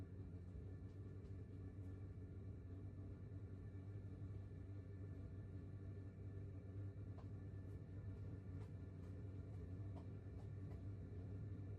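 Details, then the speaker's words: 2kW diesel air heater in 20ft pop-top caravan, outside about 7°C, running settled at low green-bar setting (level 3, about 0.8–0.9 A on 12V): quiet even blower hum with faint fuel pump ticks, nothing uneven. Normal running. "And it's very affordable as well. It's quite economical running it in the 3 green bars area, which makes sense."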